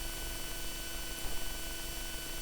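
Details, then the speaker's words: Rodecaster Pro microphone channels: steady low buzz with thin high whine, constant; ground loop from a case screw touching the chassis, noise gone when the screw is loosened, returns instantly when retightened. "I just took it out slightly, but the head of the screw doesn't touch the chassis anymore. Maybe if I touch it like this, or maybe there's too much paint if I connect it together like this, but if I retighten the screw, the noise comes back instantly."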